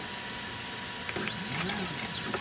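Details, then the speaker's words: CNC 3018 Pro during first wiring test: stepper whine sweeping up and down as the Y axis drives the table, with loose clicks and rattle from the lead-screw anti-backlash nut. "There's some noise coming out under here. That noise is this anti-backlash nut."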